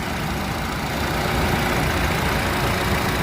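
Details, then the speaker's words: Nissan Grand Livina 2012/13 manual petrol, first owner, 115,037 km, engine idling: almost no sound, very smooth steady soft hum with an even, unhurried beat, no knocks or ticks; normal idle. "Untuk mesin teman-teman, ini suaranya nyaris nggak ada suaranya, masih halus banget."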